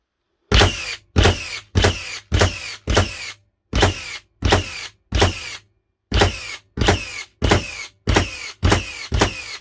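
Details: Second-gen Hikoki NR1890DCA cordless first-fix nailer in bump mode on a 2Ah battery, fired indoors: quick run of sharp, even thumps about one and a half a second, no stall or drag; working properly.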